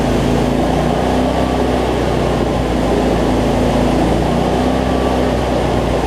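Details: Cub Cadet zero-turn mower, Briggs V-twin, after adjusting a governor that let it race out of control and fixing rich running: steady, even drone at constant speed, no surging or racing, no black smoke; battery not charging.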